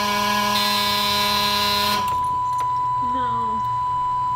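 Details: 2000 Chevy bus (Missbach) won't start. A harsh continuous buzz, then a steady high warning tone with no engine turning over. It's the no-start interlock because the rear emergency door lock is engaged.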